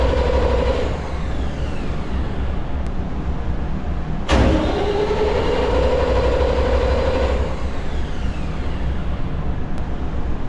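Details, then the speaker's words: Emergency diesel generator in start-failure alarm test (manual stop held, engine start pressed): starter cranks in three bursts without catching, then drops out; start-failure alarm trips, cleared by buzzer stop and reset. "Start, failure. Nag-alarma siya. Bali 3 beses mag-andar yung makina tapos hindi siya mag-start. 3 beses, tsaka siya mag-alarma."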